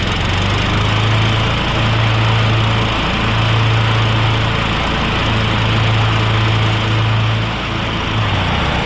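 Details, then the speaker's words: Honda Harmony lawn tractor small single-cylinder engine, air filter refitted, carb left untouched: starts without hesitation and runs at steady, even speed with constant low drone, no misses, surging or knocks; normal running. "because that carb is running fine I'm not going to take it off and just make it more work for myself it's running absolutely fine she kicked over without a hesitation"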